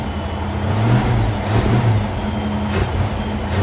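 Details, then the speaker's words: 1967 Ford Mustang with a carburetor being tuned for a dead miss. Revs hesitate and sag when the throttle is blipped. Stumble on acceleration, typically the accelerator pump, which was found not hooked up. "that kind of thing right there is typically an accelerator pump issue we'll check that out still doesn't like that this is still there"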